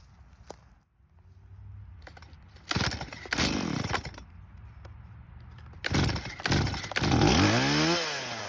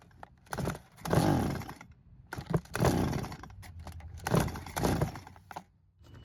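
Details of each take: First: Stihl chainsaw revived after years in a barn, non-adjustable carb, idle screw turned: revs sharply in bursts and pulls through the cut with cleanly climbing pitch, no bogging or sputter; carb working, chain dull. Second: Stihl chainsaw that sat in a barn for years, pulled without priming: three pull-cord bursts, each catching briefly then dying, fuel starvation; carburettor suspected.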